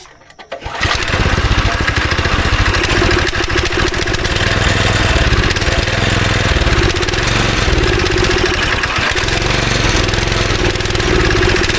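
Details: Go-kart engine not run for about 3 years: after priming and carb cleaner it catches after a short crank, then runs lumpy, stumbling and surging with a bad smell. Bad gas is still trapped in a pocket of the tank.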